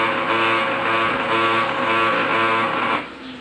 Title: Brother DCP-L2540dw GRINDING SOUND #shorts #pinoytechs #dcpl2540dw